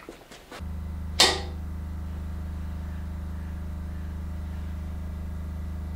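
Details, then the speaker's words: Restored vintage oil-filled arc welder on 240 V fed from a generator: handling knocks and a sharp click, then a steady low mains transformer hum. Normal operation. "Yeah, I can hear it humming away. Something's happening."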